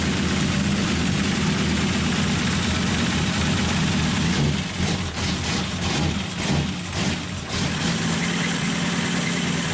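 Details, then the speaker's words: Datsun 280Z with freshly rebuilt engine, first start after fitting the coil wire, on a jump box, no muffler, lower coolant hose missing so only run briefly: a loud raw idle with a low rumble and sharp bark. No muffler. "all right finally alive a super-loud well there it is it runs better than sound like yours you know your muffler right now"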